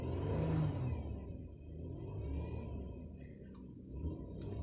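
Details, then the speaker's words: 2000 Chevy Impala: low steady whir rising and falling with engine revs, less noticeable while driving, more noticeable when low on fuel; owner suspects a loose belt, unconfirmed. "it makes a weird noise when I uh rev it like it makes a whirring noise I don't know if that's normal or not"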